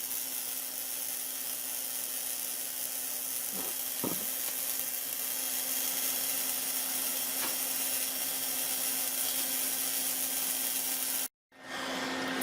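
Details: Lakhovsky multiwave oscillator pulse modulator with variac at 50 and spark gap at 50% (3 o'clock): a steady, even hiss with a low constant hum and no sputter or dropouts, a normal spark gap buzz.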